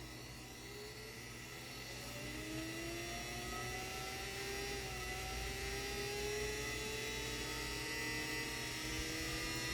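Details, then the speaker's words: 3D-printed axial-flux BLDC motor on an Arduino controller, first run: smooth steady electric whine climbing evenly in pitch as it speeds up, somewhat noisy at startup, no knocks; running normally. "that sounds good nothing smoking we're going faster and faster"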